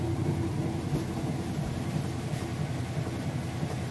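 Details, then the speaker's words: Kenmore washer with a heavy jeans and towel load, final spin: a steady even low rumble at high speed with no banging, thumping or scraping, a smooth quiet normal spin. "alright and here we go into that final spin cycle now and she didn't hear it's nice to smooth I'll show you that it is spinning nice and fast"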